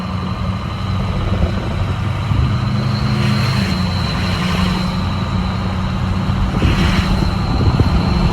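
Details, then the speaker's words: Ford 6.0 Powerstroke King Ranch idling with a new KC Stage 2 10-blade VGT turbo during the relearn: a steady diesel idle with a thin high whistle riding over it, the vanes working cleanly with no rattle or surge. Normal turbo whistle. "what you guys are going to hear when it's going through the relearn process is you'll hear the veins close they hear that high-pitched whistle and then you'll slowly hear them start to open up and you'll get that deep tone"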